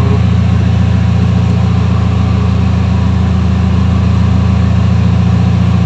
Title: bumababa menor,nanginginig ang makina hanggang mamatay makina,,,